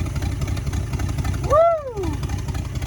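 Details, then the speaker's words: 1966 Buick Sport Wagon V8, dead cold engine: deep, even rumble with no knocks or misses, running on all eight, oil reaching all spinning pushrods; a short whistle sweeps past midway; normal cold idle. "wow listen to that that is all eight baby that is all eight and we got oil all the push rods are spinning it sounds great yeah"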